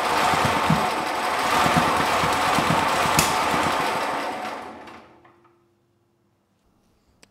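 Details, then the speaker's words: Generac GP5500 generator, engine previously seized then freed, quit after two days, noisy when pulled but has compression; airbox off, starting fluid, choke off: fast uneven chug with pops, won't speed up, flame and smoke from carburetor, then dies; suspected valve issue from worn camshaft lobes. "we got Signs of Life the engine it would not speed up though so the light did not turn on and what I saw actually coming out of the carburetor was flame and smoke so I'm thinking we have valve issues"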